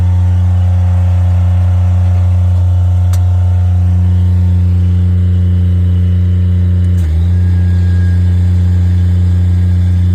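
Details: Miller Bobcat 200 Air Pak diesel welder/compressor after freeing a compressor seized by rust and water from a faulty intake valve, compressor off: smooth, deep, steady diesel drone at even speed with no knocking or rattles; runs healthy.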